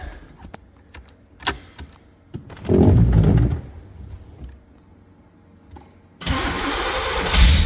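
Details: 1985 Pontiac Fiero GT after alternator reinstall: quiet first, then the engine cranks and catches, settles briefly and revs up cleanly with no knocks or squeals; sounds healthy.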